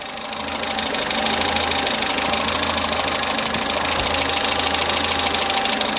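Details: Peugeot 207 saved from scrap, fully warmed up after oil leak repair and coolant top-up, waiting for fans: fast, light, even ticking above a smooth idle; tappets audible, not serious, owner plans to adjust them anyway.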